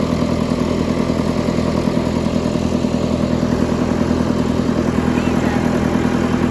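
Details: 20+ year old John Deere 555 bulldozer diesel, sitting unused for many years, just revived after battery charging: steady dense clatter at an even beat with no misses or knocks, settled into a smooth, healthy idle.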